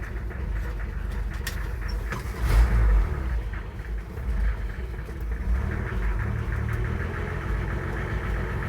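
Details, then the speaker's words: 1966 Ford F100 idling: a lumpy idle with a loose, uneven knocking of roughly three beats a second over the low rumble. Engine knock at idle, cause unknown. "You hear that knocking? So, I'm not exactly sure what it is, but oh boy."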